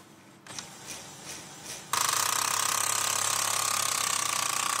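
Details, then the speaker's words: Kyocera ECOSYS M2540-series laser printer (M2040/M2635 family): loud, rapid ratcheting crackle and knocking over a steady whirr when the fuser rotates; fuser itself checked good and swapped, suspected fuser drive assembly 302RV94020, not confirmed. "Очень неприятный, очень сильный треск из области печки."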